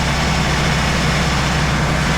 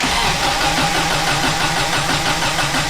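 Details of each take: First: 1993 Subaru Loyale after an engine reinstall: the lifter tick heard at first start went away as the engine warmed up, leaving a steady, even low idle with a raspy exhaust and no top-end ticking; normal idle. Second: 1993 Subaru Loyale, first start after an engine reinstall, exhaust not yet fitted: even starter cranking that never fires. No spark because the distributor was left unplugged.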